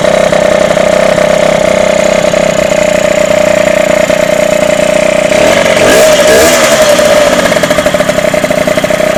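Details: Derbi DRD 03 two-stroke, bought in a lamentable state, first start after complete engine restoration: high, buzzy idle holding steady with a brief blip midway, no rattles or knocks; normal idle.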